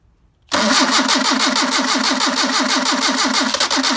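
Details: Engine with freshly rebuilt pair of Solex carburetors, cold start on choke after sitting a couple of days: cranks once, catches right away, steady even fast idle with no misses; clean cold start.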